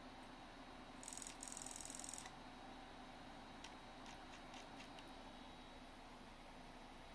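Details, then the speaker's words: Roughly 30-year-old Toshiba XM-3401B SCSI CD-ROM, repaired after it ejected discs without reading. Quiet whirr with a thin high tone, a burst of fast ticking, then scattered seek clicks and slight servo noise. Normal loading and reading. "okay uh yeah that appears to be working fine so the drive is working now"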